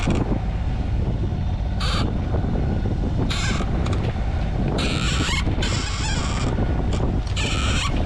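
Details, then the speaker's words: Moody 33S sailboat under engine heading into wind: sharp irregular squeaks every second or two over steady diesel drone; a knot in a line was sliding up and down the boom, WD-40 made it worse; rigging squeak. "But when you're on a boat you have a chance to listen to things, and this squeak is driving me doolally. Listen to this."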